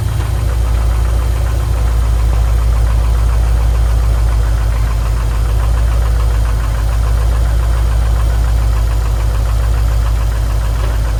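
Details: Subaru STI after a rebuild: heavy low rumble with an irregular knock at a few beats a second. Owner links it to the clutch pedal assembly shifting when pressed and suspects a cracked firewall.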